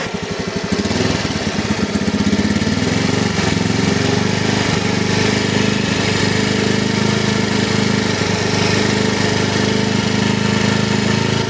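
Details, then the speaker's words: Vario eSP scooter that hesitated and cut out at low rpm and sometimes stalled, despite a new injector and TPS. After original parts, including the stock spark plug cap, were refitted, it picks up cleanly with no stutter. Normal throttle response. "Oke di tarikan awalnya udah gak ada nyendat-endat seperti kemarin Ya sepertinya udah normal ya teman-teman"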